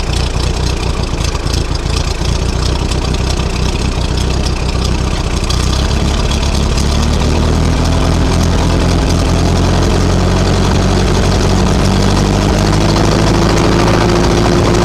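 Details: Ferguson TO-20 tractor with 12-volt conversion after fitting a new alternator: low steady chug settling into an even idle with a slight rev change, no stumbling; throttle up needed initially to start charging; normal start and idle.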